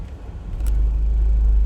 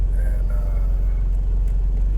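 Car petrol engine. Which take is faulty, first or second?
first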